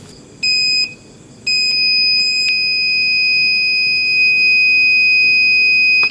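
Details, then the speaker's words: Aiwa CSD-SR545 audio compo (2000s) with only the left channel playing. Right-channel speaker checked at the amplifier output socket with the multimeter buzzer: a short beep, then a loud steady high beep showing continuity. Speaker is fine; BA5417 power amplifier IC suspected. "Tương tự với loa kênh phải. Tiếng bíp lớn cho thấy loa vẫn tốt và bình thường."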